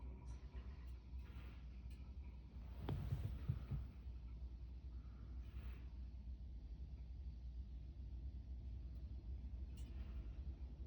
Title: Steam convector making noise.